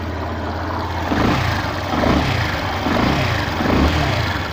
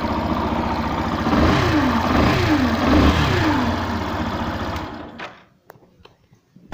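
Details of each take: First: 2016 Yamaha Fazer 150 single with an engine noise blamed on the stator, apparently with the stator's two-white-wire connector unplugged: it revs up and down smoothly with no extra rattle or whine. The fix is a replacement stator, preferably original Yamaha. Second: 2016 Yamaha Fazer 150 revving with rhythmic whirring clatter rising and falling with revs; noise disappears when the stator's two-white-wire connector is unplugged; faulty stator, fix is replacing it, preferably with original Yamaha part.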